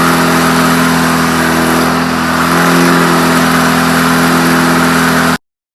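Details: Rebuilt air-cooled VW Beetle flat-four during cam break-in, held at 2500 rpm for 20 minutes: a clean, steady note with a slight dip and recovery, no rattles or knocks. Normal running.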